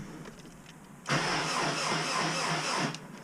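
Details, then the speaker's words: Subaru WRX with hybrid EJ 2.0/2.5 engine, first start after build, bumping the starter before loading the tune: short, even two-second crank with steady compression pulses, no clanks or scrapes; turns over healthily. "okay so just that little bit of did sound decent to me didn't hear anything crazy okay I'm confident feel good about that"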